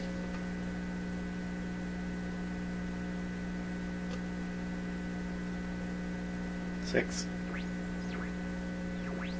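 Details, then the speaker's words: Pye 39HC shortwave broadcast receiver under test with signal generator above midband: loud steady fixed-pitch low hum through the speaker while grid voltage and meters show no AVC response; mains hum, source not yet found. "listen that hump's just roaring I didn't think this thing [Music] hump nothing happening on the grid voltage"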